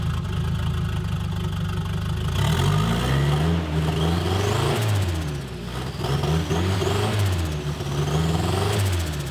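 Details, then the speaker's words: 1976 Volvo 240 with naturally aspirated B23E engine converted to turbo: four-cylinder blips up and down, slightly uneven on revs; sounds strong low but breaks up around 3000 rpm, worse than before the turbo, cause unknown. "so in this case it sounds mean and everything but if i get it up like three three thousand rpm it breaks up"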